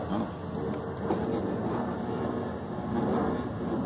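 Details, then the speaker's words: Washing machine drain pump working normally: a steady rush of water draining out, with no hum, whine or rattle from the pump. "ela normal é silenciosa quando ela tá drenando ela só vê o barulho da água jogando fora você nem vê barulho mas tá funcionando"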